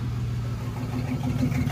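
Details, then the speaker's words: 1994 Chevrolet S10 Blazer 4x4, 4.3 CPI V6, 190,000 miles, after spider injector replacement: no misfire at cold start, but once hot the idle turns lumpy with dropped pulses and is still misfiring. "See if it's still misfiring, because it wasn't misfiring when I first fired it up cold. After it got hot, that's when everything started running funny."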